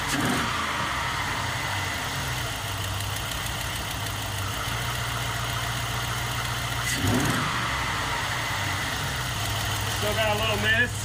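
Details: GM 5.3L LS V8 swapped into the Sub-100, just started via crank mode: steady idle with faint uneven stumbles now and then; known dead-cylinder misfire lingering, plus a light tick believed to be an exhaust leak from broken manifold bolts.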